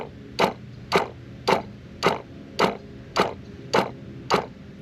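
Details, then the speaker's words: Sprayers Plus 105EX backpack sprayer pump, found leaking when taken apart; short buzzing bursts about every half second as the pump cycles on and off, spraying water out the back each time it runs. Pump to be replaced. "And it's pissing water out of the back every time it turns on and drips all over you."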